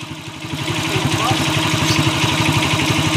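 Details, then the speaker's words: Honda TMX155 single-cylinder motorcycle, noisy since timing gear replacement: steady hard knock about four times a second, locked to engine speed and louder as revs rise, a worn connecting rod. "connecting rod na to connecting rod connecting rod na to boss kay yan oh Malala na yung connecting rod niya"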